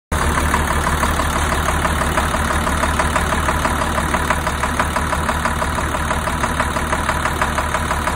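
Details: 2002 Navistar DT466E diesel idling with a hard, regular knock about twice a second over the clatter, caused by a bad injector stuck open; smoke from the exhaust, possibly with no fault codes.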